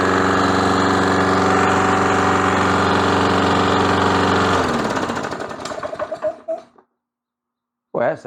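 Small mower engine pulls up to a fast, steady beat for a few seconds, then sags and dies; runs rough, likely a fuel or ignition problem.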